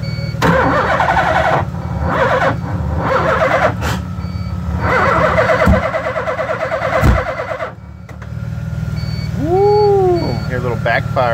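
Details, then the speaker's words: LH6 5.3 V8 swapped into a 1986 Mazda RX-7 on Holley Terminator X (24x/1x), coolant 56 degrees on a 45-degree day: starter churns at an uneven pulsing beat with a pop from the tailpipe, no start. "it was kind of uh not backfiring exactly but kind of has like a weird pulsation sound if you will"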